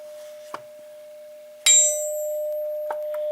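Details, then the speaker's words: Forged VW crankshaft (chromoly) struck for a ring test, recorded on camera mic: a sharp tap gives a clear, pure ring near 600 Hz that sustains long after; a cast crank would just thud instead. "how that Rings is still ringing it's still ringing still ringing I don't hear it anymore it might still be ringing a cast crank won't do that"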